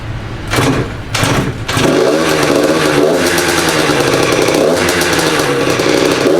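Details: Freshly built Yamaha YZ85 two-stroke with new crank, still breaking in, coolant circulating: crisp crackle revving up cleanly and holding steady without knocks or misses; idles well, normal running.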